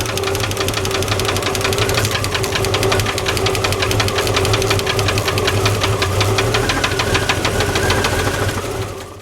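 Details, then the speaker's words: 1989 Jeep Cherokee XJ Renix stroked 4.6L I6, valve cover off, rocker bolts backed off at idle: fast sharp clackety ticking about three per second, pointing to loose rocker/valve lash adjustment. "Alright, next we're going to try backing off the rocker bolts and see if the noise changes. Does make a different noise. That's a clackety clack clack."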